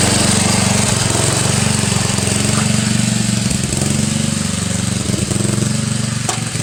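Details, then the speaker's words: Murray 17.5 hp lawn tractor engine, during valve adjustment with new carburettor fitted: fast even knocking about four per second under a low drone while cranking; compression release suspected, not confirmed. "I hope that's a compression release. Sounds like it. I hope it is."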